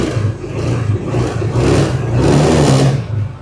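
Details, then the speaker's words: Motorcycle whose battery indicator needs about 105 CCA; battery test start: starter spins once and the engine fires straight away, revving briefly then running smoothly, a clean healthy start, though the battery indicator stays lit as CCA is low. "Kita hidupin, kita nyalakan, kita starter ya. Langsung nyala"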